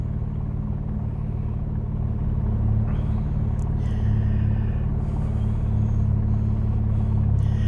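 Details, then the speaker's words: 2012 Camaro after radiator repair: deep, even idle rumble with no knocks, ticks or misses; no codes, engine light out after battery check. Normal healthy idle. "That's what I was hoping to see today. Sucker sounds good."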